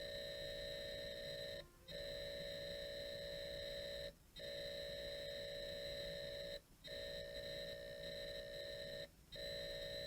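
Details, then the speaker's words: Atari loading Zaxxon from a WAV file via Bluetooth cassette adapter, PC volume 12, heard through the TV: high-pitched leader tone, then data tones with short regular gaps; normal cassette data loading. "And you might be able to hear there's a very high-pitched noise right now, and then you're going to start to hear the actual data being transferred. That's what the Ataris would do."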